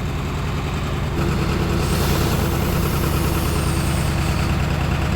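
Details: 1978 Cadillac DeVille engine, sitting 15+ years, after freeing valves: low, steady idle rumble with even beat, earlier bottom-end knock gone for now; runs cleanly.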